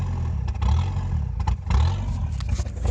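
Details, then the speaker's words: Old mechanically injected diesel truck running on sunflower cooking oil, idling untouched: deep rumble surging unevenly with clatter, revs hunting about once a second; rough running and surging on vegetable oil. "to help warm the engine up but after that they stopped working and now you're starting to see and hear it conking as you can see it's not very happy"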